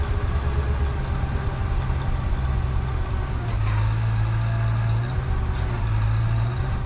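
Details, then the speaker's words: Boom lift, boom fully extended: steady engine idle drops and labours about halfway through when retract is engaged and stays loaded, boom not retracting; it only telescoped after weight was taken off by dragging the boom on the ground. "that didn't work so I went up a little higher and tried again that also didn't work"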